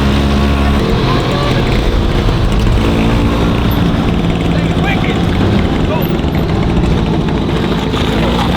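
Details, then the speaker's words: 1963 Pengor Penguin amphibious car with a tiny rebuilt two-stroke engine, driving down a side street at about 30 mph: loud, steady two-stroke drone holding even under load, no misfire or stumble; engine running strong and healthy. "That thing's really fast. This is why you don't let Ricky Mosley rebuild a two-stroke."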